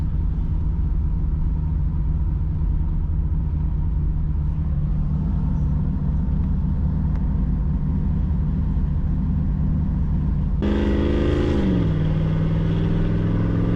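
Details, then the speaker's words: Project Z28 V8 on the road after plug and tune work, hard and light acceleration with a gear change; deep rumble pulling cleanly, earlier popping and misfiring gone; normal acceleration. "So that felt pretty good. Hard acceleration, light acceleration, not experiencing that popping or misfiring anymore, so that's really good news."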